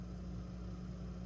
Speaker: if I take it out it goes away that is called a ground loop it's basically circulating ground current on the earth ground lug of your power here